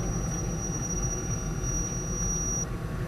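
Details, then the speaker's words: DVD camcorder under test (Samsung DX103, Canon DC100 or Sony DCR-DVD403) while recording: a thin, steady high whine over a low rumble, then it cuts out. It is an unexplained drive-mechanism noise, and the owner fears it may corrupt the recording. "I'm also not really sure what's making that noise. Hopefully the recording will turn out."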